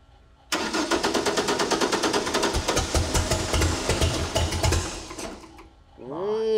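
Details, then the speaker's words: 1964 Ford flatbed, turbocharged Ford 300 with newly installed FiTech EFI, first start before tuning: steady cranking, engine tries to catch and stumbles, never reaching a clean idle; hard start, EFI still needs to learn and be tuned. "it wants to it's gonna have to learn sweet all right well we definitely want to dyno it right yeah we need to get it tuned"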